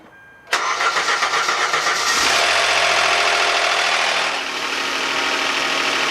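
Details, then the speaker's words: 2011 Hyundai Santa Fe 3.5L V6, first start after oil pressure switch repair: loud rapid lifter clatter over the first seconds, easing afterwards; lifters starved of oil at startup. "You can hear at the beginning of the startup the engine starving for oil, and you can hear the lifters go absolutely nuts, and even afterwards."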